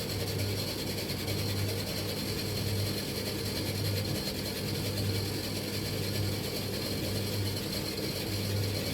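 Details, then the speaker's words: Bosch XL7 tumble dryer, belt running directly round with no jockey wheel: dry clicking ratchet about once a second over the drum's hum, traced to the back underneath; cause suspected, not confirmed. "It's not, at least it's not a jockey wheel. This doesn't have a jockey wheel, this just goes directly round the belt goes directly round the definitely coming from that side. Okay, it's definitely coming from back down here."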